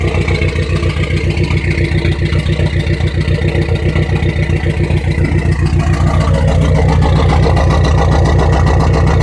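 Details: Dodge SRT-4 with suspected rough idle: idle pulses in a steady lumpy beat about three to four a second with slight speed rise; cause unclear.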